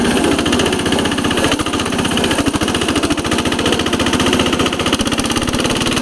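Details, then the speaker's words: 1983 Case 446 repowered with a Lombardini 6LD 435 single-cylinder diesel, up a steep grade, engine a little cold, probably governed to about 3,100 rpm (factory 3,600): rapid, even thumping about twenty-five beats a second while pulling hard; normal running under load. "But it's got a whole lot of low end torque. Air due at 2,000 RPMs, air due what the Onan would do at 3,200."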